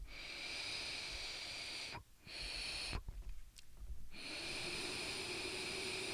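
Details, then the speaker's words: Pharaoh Mini vape tank with crackly coils; a thin steady high whistle from air rushing through the airflow slots holds for seconds, drops out, then returns, a tone heard when the button isn't pressed and sometimes while vaping. "The airflow does make a sound like a tone when I don't press the button."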